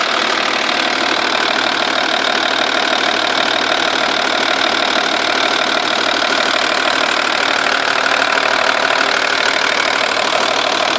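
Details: 2.5 V6 TDI diesel at idle, cams previously replaced and like new: light, even ticking about three to four per second, loudest at the car's sides, from underneath seeming rear passenger side of engine; suspected exhaust gasket leak not found; source unknown.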